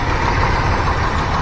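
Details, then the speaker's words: 1985 GMC C25 V8 at idle after timing adjustment with vacuum advance disconnected: a light, fast ticking that follows engine speed rides over the steady idle, an audible valve lifter noise, so the valve train needs checking. "as you can hear, there's a lifter noise. So I definitely want to look at that. Definitely want to look at that valve train."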